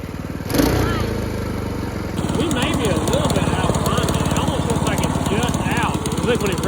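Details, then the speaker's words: Brand-new Predator 224 single-cylinder engine on a homemade drift trike, left idling to run in: a steady, even putter with no knocks or misses; normal running. "let's let it sit there and run since it's a brand new engine"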